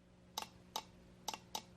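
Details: Mitsubishi Eclipse 2G fuel injector off the car, pulsed by touching a jumper cable during home cleaning with carb cleaner: four crisp, sharp clicks at irregular intervals in a quiet room; normal injector click.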